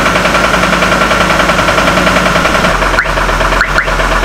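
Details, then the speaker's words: Hummer H3 with a suspected rod bearing problem, just after replacing the intake camshaft sensor: a rapid, steady knock at idle, about three to four a second, right after the engine started immediately; its source is unconfirmed. "see it, you can hear the knocking. Right now it started immediately. Usually it doesn't do this until it's cold, or until it's warmed up"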